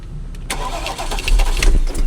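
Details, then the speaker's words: Porsche Panamera with Mansory kit, engine reported dead: on start-up it catches and runs rough with harsh, uneven bursts of clatter, a loud abnormal noise; timing chain suspected, not confirmed. "Ah ou c'est quoi ce bruit de fou ? Ça fait des sales bruits, hein."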